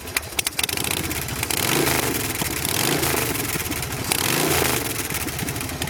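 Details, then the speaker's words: Custom Buell Lightning bobber, stock carb and custom air cleaner, just started: V-twin lopes at a low steady idle with uneven thump-thump beat and a couple of blips; idles nice and low, normal idle. "idles real nice, idles real low. This bike really runs good."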